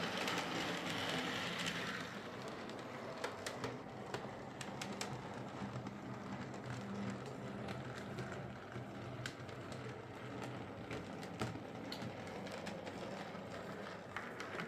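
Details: Hornby Sir Dinadan model locomotive after fitting a Peter's Spares replacement motor, current draw cut by 50% or more from about 200 mA: quiet, even rolling hum with light wheel clicks, no labouring; runs quieter and smoother than before.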